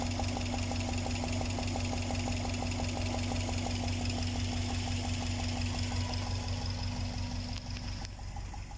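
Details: Subaru Impreza EJ207 at steady idle with light even tapping about three per second; loose spark plugs backed out, probably from improper torque, cured by retorquing plugs, reached by removing airbox and washer bottle.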